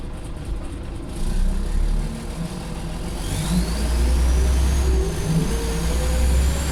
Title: Extremely loud turbo whistle and engine ticking on a Former Go Ahead North East scania solar